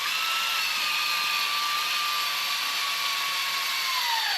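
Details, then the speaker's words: 1972 AMC Javelin 304 V8, parked 52 years, 25,000 miles: oil pump primed with a drill through distributor hole, steady whine sags as load builds; oil pump reached full prime, oiling the engine. "You can hear it kind of drag down right there where it got full prime. Now it's actually putting oil throughout the motor right now."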